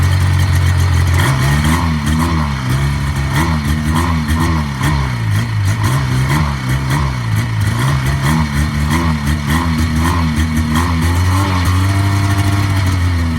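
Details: 1980 Yamaha SS440 Exciter snowmobile two-stroke, revived after sitting about 20 years, fuel primed after a cracked fuel line, throttle still a little sticky; the buzz climbs and drops cleanly through repeated blips and returns to idle without stumbling, running and revving well.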